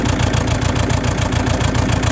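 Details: Saab 9-3 1.9TiD diesel (2007/2008) at idle, uneven lumpy thump stumbling every few beats, with white smoke; misfire, cause not found despite new glow plugs, alternator and battery.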